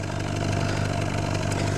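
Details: 2009 Subaru Forester after engine rebuild (used crank, pistons), first run with plug wires correct: deep, steady idle with even beat, no skips, pops or smoke; all cylinders firing.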